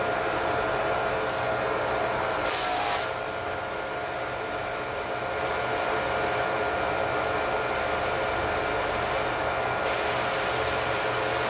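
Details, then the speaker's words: Electric Karcher pressure washer with a new foam cannon: uneven, surging, pulsing hiss instead of constant pressure; the cannon's too-small orifice didn't suit the washer's flow, fixed by drilling the nozzle hole larger. "foreign was getting similar results just not a constant high pressure spray"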